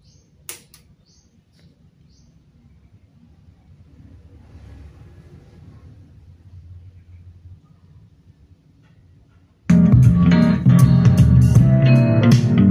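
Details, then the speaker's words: Martin Roland amplifier that powered on with no sound, repaired and final-tested: after quiet lead-in, music plays loud, full and clean with no crackle, hiss or hum; amplifier working normally. "hidupin suaranya udah jernih, enggak ada kemereknya."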